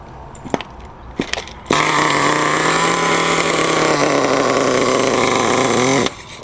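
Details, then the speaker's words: RedCat Tornado S30 nitro RC engine after rebuild, stone cold after sitting, running a little rich: a few failed pulls, then a high buzzing rev that holds and sags slightly; hard cold start, running rich. "like I said in the other video it's running a little bit rich it's just part of the reason I had a hard time getting going"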